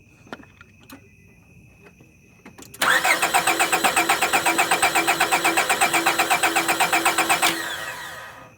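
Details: 1998 Honda Accord after a spark plug change, with fuel reported getting through: starter turns the engine steadily at about four pulses a second for nearly five seconds and it never fires. Crank, no start.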